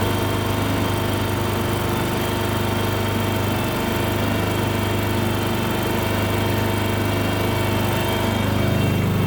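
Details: Kohler engine on a Terramite T5 mini loader, after fuel pump replacement for not staying running: steady even thrum holding speed, no surging, misses or dying; running healthy.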